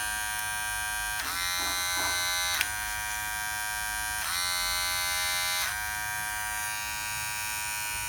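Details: Wahl Detailer Cordless hair trimmer after replacing the plate that caused intense noise: runs with a steady, even electric buzz and no harsh rattle.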